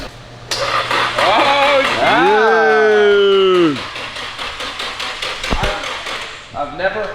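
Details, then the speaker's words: Engine cranking on the starter: quick, even cranking beat under a steady starter whine, no tight or dead spots suggesting low compression; turns over freely, normal cranking. "nice and free yeah you don't hear a tight spot or you don't hear a dead spot the worst is when you hear a cucumber that sounds like low compression"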